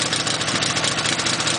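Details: Dnepr boxer twin motorcycle, cold start after a six-count carburetor tickle, throttle slightly open, kicked over: fires and settles into a steady, even putter with a light regular beat and no knocks; healthy idle.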